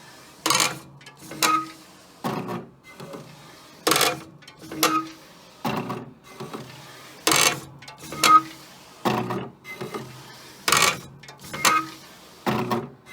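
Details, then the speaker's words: Wide format roll printer set to glossy paper type instead of the correct roll setting: loud rhythmic mechanical clacks and grinding bursts about every second with poor print quality; noise stopped after correcting paper settings. "I had gone in the settings and set it for glossy and then it was making this ungodly sound and the print quality was definitely not very good"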